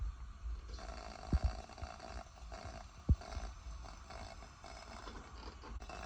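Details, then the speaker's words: Coleman-type pressure lantern (a second lantern used as the example) as its valve is cracked open. A few soft pops and sputters over a faint hiss: the normal generator spitting that shows the lantern works properly. "and basically that's what you're listening for if you hear that then your Lantern is working properly"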